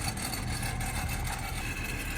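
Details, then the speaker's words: BMW idling with a dry, buzzy rattle on the exhaust note from the factory exhaust valve flap inside the muffler; broken bow spring of the exhaust valve actuator (part 18307620323), fixed by replacing the spring. "Modern BMWs have valve-actuated exhaust from factory. There's a valve flap inside the muffler that's closed to be quiet like in comfort mode, and in sport mode, it opens up to let the exhaust be louder and less res"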